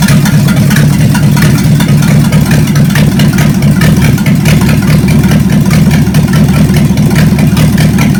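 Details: Chevy 283 V8 from Facebook Marketplace, second run on the shop floor: deep, steady idle with an even beat and no ticks, knocks or misfires; compression later about 100–120 psi; normal idle.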